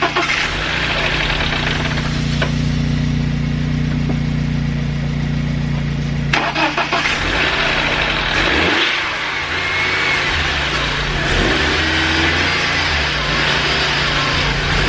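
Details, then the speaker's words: BMW E46 318i after starter motor replacement: starter spins briefly, engine catches and settles into a lumpy, still very rough idle; the cranking and start are healthy, normal cranking and start. "all right so as you guys just saw there it was idling really really rough still it does start though which is awesome which means the start of it works"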